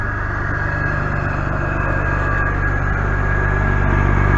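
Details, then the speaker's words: 2004-2010 BMW 5 Series idling just after upper radiator hose replacement and coolant bleeding, heater on, checking for leaks: smooth, low, even hum with a steady beat and no ticks or knocks. Normal idle. "So now that it's started, again, it's the heater still on. I'm going to come check for leaks."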